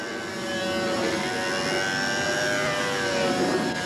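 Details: High, steady two-stroke buzz swaying gently in pitch as a control-line model plane circles, holding an even run without sagging or surging on a calm day; tuning aimed at about an ounce a minute fuel use; normal run.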